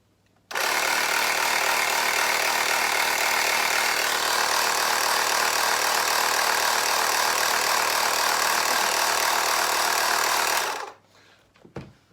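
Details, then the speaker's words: Tyre compressor powered by an EcoFlow River Mini power bank, drawing about 53 watts, pumping motorhome tyres: loud, steady rattling hum with a fast even pulse of about four per second, holding constant; normal running. "Let's plug it in, turn it on. Now it might just get a bit noisy this, but obviously you're going to have to hear it."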